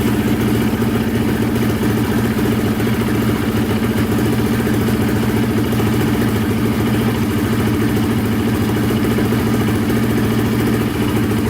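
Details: Polaris Predator 500 quad, single cylinder, repaired after wrong timing and a snapped Woodruff flywheel key: steady idle thump with even firing and no knock or clatter, flywheel key intact; exhaust pipe burning off residue; running normally.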